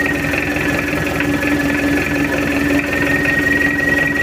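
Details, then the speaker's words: Mitsubishi L200 diesel after engine overhaul, test run with injection timing advanced: steady even idle, smooth low clatter with no knocks or misses, engine calm, oil pressure normal; healthy running engine. "oke udah hidup untuk mesinnya Alhamdulillah nggak ada kendala udah beres dan suaranya Udah adem goyang mesin pun juga tenang"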